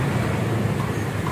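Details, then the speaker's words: Honda Vario scooter exhaust after removing the front muffler baffle layer that caused vibration buzz: steady, even low drone with no rattle or vibration, normal quiet exhaust sound. "normal normal suaranya tidak berisik ya cuma buang lapisan yang depan aja oke tidak ada sekarang tidak getar ya tuh tidak ada bunyi getar"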